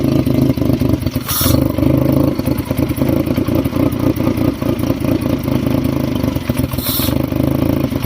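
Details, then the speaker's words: Fiat Stilo with replacement engine and refitted timing belt, at idle: shaky, uneven clattering that hunts and never settles. "well as you here it's still shaky it's searching for air which you can hear look at it"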